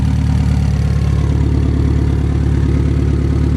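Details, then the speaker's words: Honda S2000 AP1 idling while warming up, with a light, even tick of about 3.5 per second, seemingly from above the engine; owner suspects the valves, possibly the timing chain tensioner. "So I think that ticking noise is there. You can hear it. I honestly might be aiming towards the valve. I'm not 100% sure, but it sounds like the valves."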